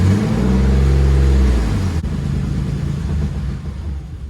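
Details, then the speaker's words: Twin-turbo engine in wide-body 1965 Mustang on first drive with new tune: revs up then sags away as throttle closes instead of settling; intermittently no pedal response, owner suspects the drive-by-wire throttle pedal/tune; won't idle. "it will not idle [Music] sounds really good there you go nothing I got nothing on my pedals every now and then I just got nothing at the pedal"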